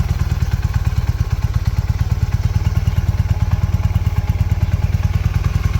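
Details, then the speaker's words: 1981 Honda CM400 twin, sitting about 20 years since 2000, now running: steady, even low idle thump about three beats a second, no knocks or misses; didn't skip a beat. Normal idle. "Even for sitting for 20 years, it didn't skip a beat."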